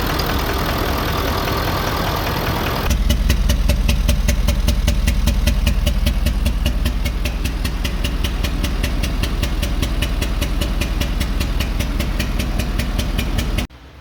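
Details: 2011 Ford Super Duty 6.7L Powerstroke diesel at 141,000 miles with no EGR cooler or DPF, idling and heard at the exhaust: a steady, uneven puff of about two to three per second from a misfiring low-compression cylinder.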